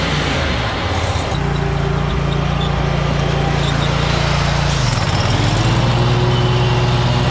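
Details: Kubota zero-turn mower, about seven years old, after a new switch was fitted: even engine drone holding steady under mowing load, one smooth pitch change as load shifts, no misses or clatter; running normally.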